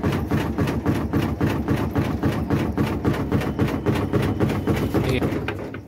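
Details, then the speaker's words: Semi-automatic washing machine loaded with clothes during spin: fast steady knocking, nearly four hits a second, as the spin drum touches the cabinet body; possible causes named are gearbox problem or improper use. "इसको जैसे ही चारों तरफ ये जो हमारा spin drum है ये जो बॉडी में टच हो रहा है जिसके कारण ये साउंड हो रहा है"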